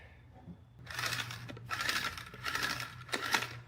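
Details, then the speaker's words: Razor Black Label E90 scooter hub motor spun by hand: rough, gritty scraping bursts over a faint hum; bearings suspected shot, hub motor replaced under warranty. "That doesn't sound so good."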